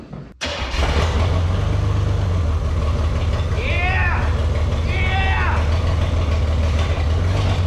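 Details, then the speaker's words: 1980 El Camino field find, first start after opening the choke and spraying fuel into the carburetor; it was left in gear. A rough start settles into a loud, fluttery low idle with an open, puffing exhaust edge; it sounds healthy apart from an exhaust leak. "but also I mean guys it was running and it actually sound I think it was healthy it did sound like it had a nice exhaust leak oh yeah"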